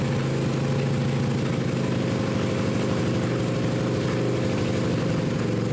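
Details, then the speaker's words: Suzuki GS500 twin in a mini buggy build idling to warm up after reading 90 psi cold against roughly 170 expected: steady low-pitched idle with even pulse and no knocks, running soft; low compression. "like 170 like right around here that would be good but it's at 90 and this is cold this this is uh not good at all"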